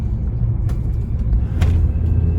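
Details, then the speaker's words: Turbo VW Beetle on test drive after replacing a blown fuse, no warning lights, brakes tested; even low engine drone under road rumble, no knocks, whines or misses while pulling; engine running healthy. "no lights on cars running great don't hear anything that doesn't sound right"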